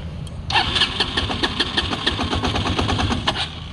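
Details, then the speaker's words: Feishen FA-D300 300cc 4x4 Chinese ATV, warm after 10 minutes riding, in neutral: single-cylinder catches and chugs unevenly, won't hold idle and dies; runs fine on throttle; owner unsure of pinging cause. "see it wants to idle but it just won't stay so that's it is warm"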